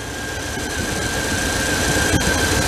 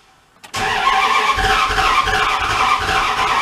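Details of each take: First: 1997 Dodge pickup revived after sitting about four years, running about five minutes, charging above 18 volts, burning off oil: steady, even hum with a faint whistle, no knocks or misses; normal idle. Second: 1997 Dodge pickup that sat broken down for four years cranks with a steady churning rhythm but never catches, seeming to spin backwards. Ignition timing is suspected, the coil looked bad, and another issue is suspected.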